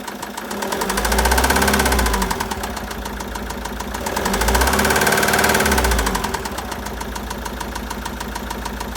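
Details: 2013 Citroën Jumper II (Type 250), 2198 cc 96 kW diesel, engine code 4HH, 294,000 km, with bearing damage and a defective cooling system. A hard, regular knock about four per second at idle, louder as the revs rise and fall; bearing knock.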